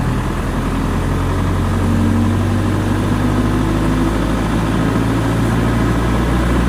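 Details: Diesel genset after a hard-starting fix: steady, even diesel rumble with a smooth low drone and no misses or knocks; idling normally.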